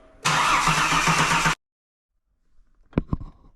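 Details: Holden VY Ecotec engine just swapped in, cranked with the crank angle sensor unplugged to build oil pressure before starting: steady, even cranking with a regular starter rhythm and no catch. Normal cranking, with oil pressure coming up.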